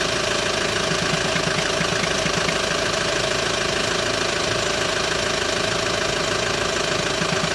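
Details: Hyundai ix35 diesel, cold engine warming up at idle: steady clatter with fairly regular knock about twice a second over it; knock appears only when cold, disappears after warm-up, dealer could not find cause.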